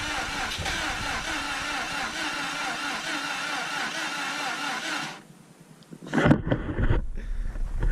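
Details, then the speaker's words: Subaru WRX EJ20 engine that was knocking the last time it ran, suspected rod bearing: starter turns it over evenly for about five seconds but it never fires; cranking no-start, cause not confirmed. "you can see this thing doesn't want to start that's because the last time we had it running it was knocking so it sounded like one of the rods went most likely a rod bearing"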